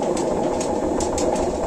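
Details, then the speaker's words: Samsung Elmas Kazan 7 kg washer, empty drum on spin: heavy continuous roar from a failed drum bearing, said to be ten times louder with laundry in; bearing to be replaced. "bu ses ses çok felaket bir şey şu anda içinde çamaşır olmadığı halde bu ses yapıyor çamaşır olduğunda bu sesin 10 katı daha fazla çıkıyor uçak geçer gibi"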